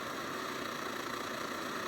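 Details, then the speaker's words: Late-model SVEA 123R stove (circa 2014), after fixes for candling and pulsing flame: steady, even hiss-roar with no surging or sputtering, burning much better though still slightly yellow; normal burner roar. "So it's much better than it was. It's burning much better than it was"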